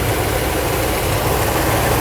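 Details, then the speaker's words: Mercedes W126 560SEC V8 after fuel distributor overhaul (clogged main passage, no fuel to cylinder 4 causing shaking) and all 8 injectors replaced: deep, even idle, steady low rumble, no hunting or misses; rock-solid idle. "the idle is very, very stable even though it is a small tail put it here The idle is rock solid. It doesn't move at all."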